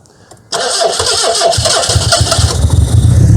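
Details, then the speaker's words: Austin Ambassador revived after about 25 years abandoned in a hedge, timing set to big advance: catches right away and settles into an even, smooth run with no misses; oil pressure loss to the top end and possible knock noted afterwards. "Yes! Listen to that, man, it's silk!"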